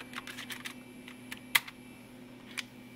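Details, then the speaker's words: Toshiba T4600C laptop floppy drive after capacitor replacement and belt refit: light irregular ticks over faint hum, quick clusters then a sharp click, head stepping but never reading; owner suspects bad floppy controller. "forth yeah I heard it try but I think we've got a bad floppy controller CU it's doing the exact same thing I can hear the head try to read"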